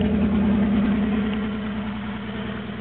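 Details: Toyota AE86 with N/A 4AGZE, Bluetop ECU and injectors, GTS harness, first start with no exhaust: loud raw idle from the open manifold, pulsing unevenly about three beats a second and hunting; mixed pistons suspected of compression issues.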